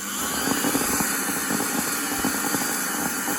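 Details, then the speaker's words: Miele Classic C1 Junior Powerline vacuum cleaner, SBAD1 motor after repair attempt, pre-motor filter on: high rough motor whine with irregular crackling ticks, brushes arcing on commutator; owner wonders if a winding is burnt out. "not good foreign so what I'm going to do is I'm going to leave it outside that hasn't made much of an impact on it and I'm wondering if a winding is burnt out or something they're still arcing on that commutator you can hear it"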